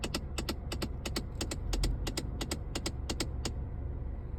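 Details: 2015 Hyundai Accent at engine start: quick, irregular sharp clicks, nearly three a second, over low engine rumble, stopping near the end; unexplained clicking from under the dashboard, cause not identified.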